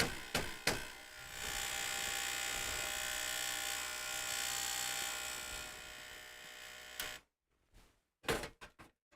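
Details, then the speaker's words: Emerson computer's 5.25-inch floppy drive, full of dead spiders: a harsh, buzzy grind runs steadily for about six seconds, then stops with a few clunks. The drive is struggling but working; owner suspects the stepper motor lubricant, cause unconfirmed. "Yeah, that noise means it's working. Well, at least it doesn't have a belt. I suspect the stepper motor lubricant is..."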